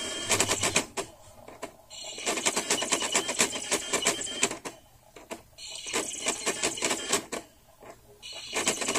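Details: Kyushu Matsushita UJDA150L laptop CD-ROM drive (September 1998, Micron TransPort Trek 2): rapid bursts of sharp clicking and clattering, about three per second, stopping and restarting in cycles, printer-like; mechanism chattering, cause unknown.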